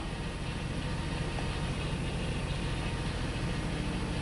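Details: 2002 Ford Explorer that cranked but wouldn't start, now running while warming up: low, uneven idle that surges and stumbles; rough running, fuel delivery problem suspected and a stuck-open throttle wondered about, not confirmed.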